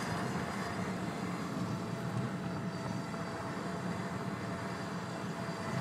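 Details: 2002 Saab 9-5 Aero, manual, coasting at speed after let-off from heavy acceleration: thin steady whine over road rumble, from front driver-side wheel, unchanged in neutral or clutch in; owner doubts wheel bearing, transmission or differential; cause unconfirmed.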